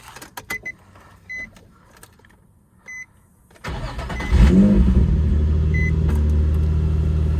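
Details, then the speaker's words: 2004 Nissan 350Z after oil catch can install, stock cats with Motordyne exhaust: chime beeps, then starter catches and engine settles into a strong, even idle with no knocks or misses; normal start and idle. "Sounds pretty good. So yeah, that's how it sounds. It sounds pretty amazing."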